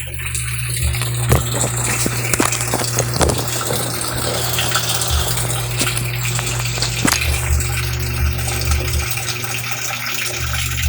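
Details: Sharp automatic washing machine, repaired after no wash and no spin: steady low pump hum under a strong, even gush of water with no grinding or rattle; normal drain.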